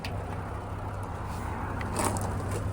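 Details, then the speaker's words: 2002 Jeep Grand Cherokee WJ after engine replacement, on a test drive at about 205–210°F coolant: loud, raspy, blatty exhaust rumble coarser than stock; holes in the exhaust leaking. "See, you can really hear the exhaust there."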